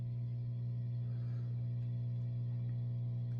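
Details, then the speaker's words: Marshall tube amp powering up with standby on after HT/main fuse replacement: steady, low, even mains hum with nothing over it, where before there was silence; normal hum confirms the fuse fault is fixed. "that is literally music to my ears right now because I didn't hear that before you're gonna know when it's a fuse or a power issue because you'll hear nothing standby is on and you hear nothing"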